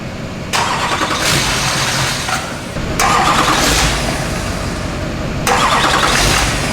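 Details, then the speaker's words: Wrecked, rolled Duramax diesel being swapped into a K20, jump-started; catches in rough surges every couple of seconds only while fed starting spray, won't hold steady idle; suspected fuel supply issue, possibly damage from running upside down, not confirmed. "oh he's getting all the spray now all the spray look at zach's controlling the idol here with his friends"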